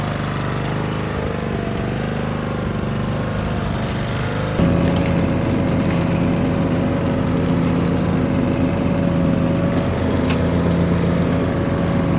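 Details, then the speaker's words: Husqvarna tractor with Kohler Courage single-cylinder, previously no-run with too much compression, now repaired with new starter; runs with even, steady beat, no knocks or misses, tone rising cleanly as throttle opens. "we were able to get it running and then here we are cleaning it up"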